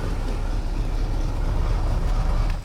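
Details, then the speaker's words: Boat engine just started with Spanarci ZETA 2000 jump starter without boost: deep, steady low rumble with no knocks or misses; running evenly. "so let's go ahead and fire the boat up and there we go we got it running"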